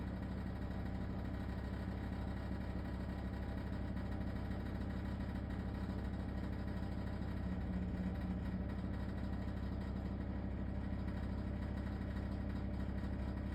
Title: LG ThinQ wses4728f - horrible rattling noise